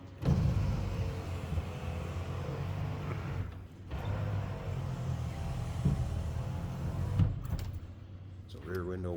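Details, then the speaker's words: 1990 Chevrolet Blazer 4x4 power window demonstrated: low steady motor drone for several seconds, pausing twice then resuming, no grinding or straining; the window motor works normally. "Consult with your sales associate when you call in or email."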